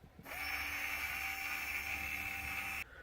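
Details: Smoke vent fire door actuator gear motor driven directly with polarity reversed, board removed: steady high whine with a slightly rough edge; gear motor grating.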